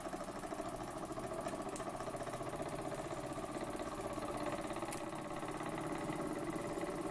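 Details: Burnac Vulcan model steam engine running under steam, with only a leaking sight glass noted: quick, even chuff beats at a steady pace with no knocks or stumbles; running smoothly.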